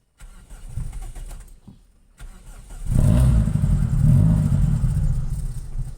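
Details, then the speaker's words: 1992 Toyota Corolla 16-valve: hard starting, engine catches roughly, runs unevenly with no idle and stalls when accelerator released despite pumping; not a cold-start issue, ignition and spark plugs being checked. "pag-start mo walang Menor mamatay kahit na bombahin mo yan pag Bitawan mo yung accelerator"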